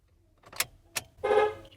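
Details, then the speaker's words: 2008 Toyota Camry, about 103,352 on the odometer, horn button dead: two light clicks, then a brief horn blast only at key-on, so the horn itself works. Cause not yet found. "now one thing that i noticed was right now that i drove the car in when i turn the key on i can actually hear the horn did you hear that"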